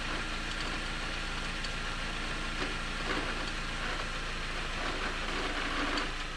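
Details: 2011 Jeep Patriot, T355 five-speed manual, idling in the garage before a stethoscope check: a faint whir and hiss over the engine hum; input or countershaft bearings suspected, not certain.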